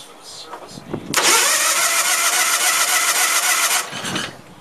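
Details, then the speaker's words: Case lawn tractor with a 20 hp Onan engine, long dry, primed with gas down the carburetor: cranks, catches with a loud ragged run under three seconds, then dies. Owner suspects a weak fuel pump or a carburetor needing cleaning. "But we got gas up to the fuel pump, it looks like, because it tried to run there for a minute. I know, I wonder why it quit."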